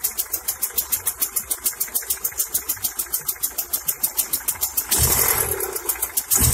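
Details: Honda Accord Prestige, ignition timing set by distributor without a timing light, deliberately advanced: engine idles with a quick, sharp pulse at raised speed, the over-advanced timing lifting the rpm (also said to cause heating, knocking, high consumption).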